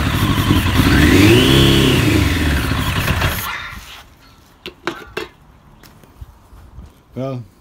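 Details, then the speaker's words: 1996 Suzuki RF900R, attempted start: engine catches on sprayed brake cleaner, surges up and sags, then dies after about three seconds; runs only on starting fluid, fuel starvation, carburetors suspected, not confirmed. "seems no luck. She's just running only on the brake cleaner. So, I definitely have to take apart the carburetor."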